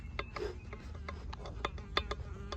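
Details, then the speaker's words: Chevy HHR SS turbo removed from the engine, shaft pushed in and out by hand: irregular light clicks and clunks from about a quarter inch of in-and-out (axial) shaft play, with an insect buzzing nearby; worn turbo, being replaced. "all right guys so I got this turbo off and you can hear the shaft play it's hard to"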